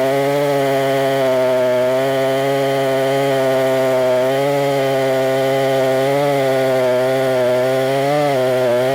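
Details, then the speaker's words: Husqvarna 262XP chainsaw, already tuned up, cutting wood: strong steady howl that dips slightly and recovers as it bites; pulls cleanly, normal running under load. "I've already got it tuned up pretty darn good she's running good let's do some cutting"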